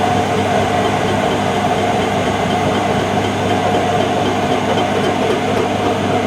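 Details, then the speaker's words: Mid-1990s Whirlpool AWG324 super slim washer (4kg, 600 spin), on spin: loud continuous rumbling roar with a gritty, train-like rattle throughout, with knocking and heat noted; drum bearings worn out. "they're the bearings on the drum and they're gone you can see there's quite a dense heat here um I suspect the SP and you can hear this knocking"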